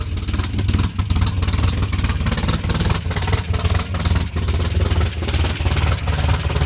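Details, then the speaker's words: 1984 Toyota Pickup 4x4, 22R engine being converted to 22RE: loud rough idle with a lumpy beat about twice a second and rattly clatter on top; noisy, cause unclear. "Alright, so this thing's kind of loud. Hopefully you can hear me right now."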